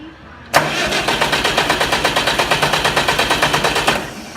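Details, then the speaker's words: Oliver 550 diesel tractor after new injector install: about three seconds of steady starter cranking, compression beats roughly seven per second, never fires; crank, no start. "She is not wanting to fire up."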